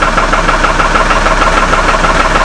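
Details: Hummer H3 with a suspected rod bearing problem and a stalling issue, running just after the intake camshaft sensor was replaced, check engine light still on: steady idle with a fine, rapid, even tapping over the engine note; knock at idle, cause unconfirmed.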